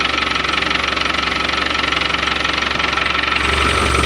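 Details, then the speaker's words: Land Rover Defender 110 diesel idling with clutch in, warmed up a couple of minutes; fast even light rattle about four per second, louder than when cold; suspected clutch rattle; clutch to be replaced. "I've had this running for a couple of minutes just like warm up. But that's how much louder that clutch is."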